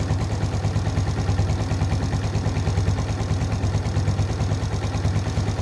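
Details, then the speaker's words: Suzuki Shogun FI (Shogun NR) had a hunting idle and MIL blinking 4 times for an ISC sensor fault; the ISC valve passage was blocked. The next morning it starts easily from cold and idles steadily at about three thumps a second, no rise or fall. "Oke dan ternyata masih mudah untuk hidup dan Langsa mesin itu juga stabil tidak ada naik turun kita tunggu beberapa saat"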